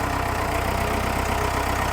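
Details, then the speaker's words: Pettibone 10056 (156) after a total transmission rebuild (clutch packs, seals, bearings), test-run in forward first gear: the diesel pulls steady and even under light load, with no knocks, whine or slipping; normal drive. "We're gonna fire it up and try it out. Gonna start out in forward first gear."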